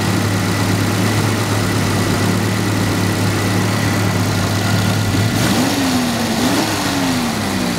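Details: 1982 Jaguar XJS V12, first run after a no-start traced to ignition timing 180 degrees out: smooth, even idle with a steady low hum, no misses, knocks or ticks; normal idle.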